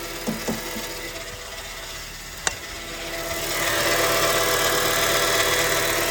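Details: Copart car at idle: engine whir with a thin high squeal rising after a few seconds. Accessory belt still squeaks after the water pump was replaced, the alternator and belt refitted and the alternator left unplugged. The alternator comes off again.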